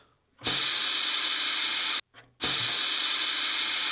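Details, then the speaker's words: 1950s Vixen spark plug cleaner and tester, air blow-off after sandblasting a plug: two sharp bursts of loud, even hissing air, about two seconds then a short one, cutting off cleanly; the plug came out clean. "It's supposed to clean it off. Take a look at it. And it did, blasted it clean."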